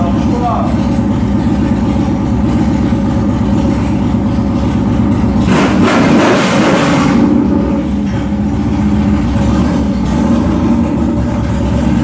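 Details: Yamaha Warrior 1700 V-twin after engine rebuild (earlier had no compression): loud steady even low throb with one brief rev blip, no knocks; sounds healthy.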